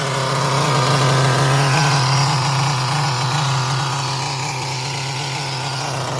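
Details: Traxxas Nitro 4Tec with rebuilt 3.3 nitro engine, bench test after a 15-20-pull start: high buzzing note runs steadily with speed easing slightly and smooth, even firing. It sounds ready for bench testing.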